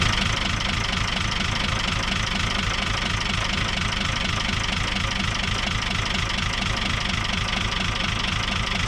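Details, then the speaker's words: Isuzu 6BB1 5.4L diesel in a 1975 Chevy stepside pickup with a tailgate-rebuilt injection pump: uneven, lumpy idle stumbling about twice a second, likely firing on only four cylinders; cylinders 5 and 6 run about 10° cooler. Miscalibrated injectors suspected. "And just the fact that it stalls with one injector loosened leads me to believe that it's may be firing on just three or four."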